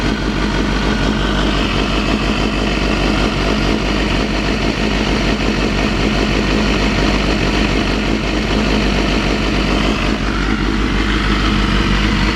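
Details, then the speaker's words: Honda CBR250RR (MC22) four-cylinder after replacing cracked carb boots and balancing the carbs with a Morgan Carbtune: a steady, deep exhaust burble at idle with no misses or surging. The carbs sound well balanced. "yeah hear the exhaust tiring is just that b b Rumble sounds awesome"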